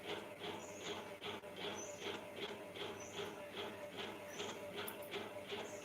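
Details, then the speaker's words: Fan running on inverter during power cut; sound changes on inverter, silent on mains, owner unsure why. Soft hum with regular tick about two and a half times per second. "Fan है ना light नहीं है ना inverter से पता नहीं क्यों पंखा का आवाज बदल जाता है जब लाइट रहती है तो सही आता है तब आवाज बिल्कुल नहीं करता है इसीलिए वो पंखे की आवाज आ रही है"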